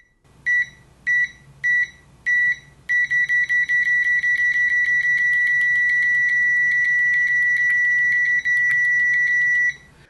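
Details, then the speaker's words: Uni-T UT161D multimeter continuity test with fast repeated probe contacts: four short beeps, then the high tone stays on almost nonstop as the beeper latches, with confusing pauses and an abnormal red-then-green indication. "well you can go fast enough for it just continuously beeps and you notice it beeps then it goes red and then it goes green and beeps so I it's just that's too weird too weird and too not normal"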